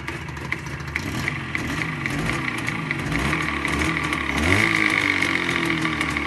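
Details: ChZ 472.6 two-stroke engine, knock owner thinks comes from the gearbox, present cold and hot, in neutral and in gear; crank perfect, cylinder at +0.11 mm oversize: sharp ticking knock about three per second over buzzy idle, persisting as revs rise; source unknown.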